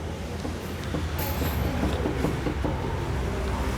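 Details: Car front suspension rocked by hand, with a microphone placed close by, gives light uneven knocks from a worn, blown stabilizer link (bieleta).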